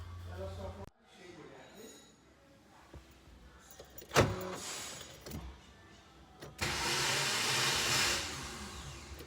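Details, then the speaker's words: 2014 Chevrolet Celta where turning the key gives a high, free-spinning starter whir and the engine doesn't crank. The starter drive is slipping and the bearing/housing cover was found broken. "está reclamando que da partida só faz o barulho e o carro não pega beleza Olha aí para vocês ver"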